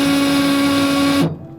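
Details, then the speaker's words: Baja 500 2020 race vehicle, pump one: steady mid-pitched electric whine that cuts off abruptly. Crew suspects it is failing (maybe running dry); pump two sounds healthy and could be moved to its place. "that doesn't sound good is it bad for the engine will it burn up the engine no if we lose pump one then we're stuck out here"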